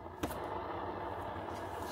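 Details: NINEBOT F2 Plus electric scooter after more than 1500 km, wheel hand-spun with scooter on its side: steady gritty whirr from a rough, dry wheel bearing, before greasing.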